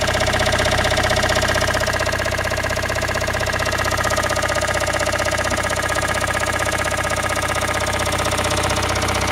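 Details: Toyota Raum 5E-FE engine after rebuild, idling: a sharp, even internal knock about three per second runs through the steady idle; origin unknown.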